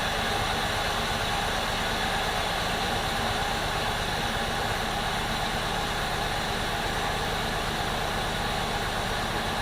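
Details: 2002 Jeep Liberty 3.7 engine, freshly swapped and first started on day 2 after coolant fill, intake got wet from pressure washing: steady loud idle with an uneven, lumpy pulse rather than a smooth hum; rough running.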